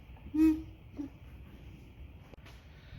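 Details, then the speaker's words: Johnson short-shaft outboard, first start after repairs, at very low idle: soft hooting whoops as the engine draws vacuum through the carburetors, a sound missing on worn-out engines; normal healthy idle. "On a lot of really worn out engines, you don't really hear that anymore. The engine may still run, but you don't hear that anymore, and usually when you don't hear it, it doesn't idle very well."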